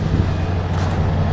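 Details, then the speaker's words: Barn-find 1977 Lincoln Continental Town Coupe, parked for years, just fired up: deep, steady low V8 rumble with an even beat, no knocks or misses, not smoking; healthy, smooth running. "It's not smoking at all. Sounds really good. Always thought this car sound great with a nice dual exhaust on it."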